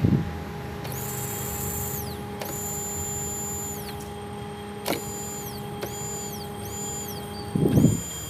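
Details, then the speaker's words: Car that cranks but won't start: fuel pump tested with direct battery power moves but thin, weak hum without strong whine, no suction, weak flow; pump judged worn and replaced with new one. "tapi nggak kenceng lemah bro kita ganti aja"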